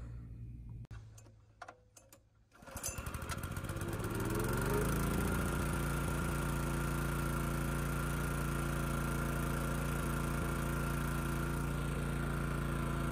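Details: Honda EG2200X generator, thought to be from the early or mid 1990s: it catches after a few pulls and settles into a steady, slightly uneven, lumpy beat at no load; it starts easily but runs rich with no load.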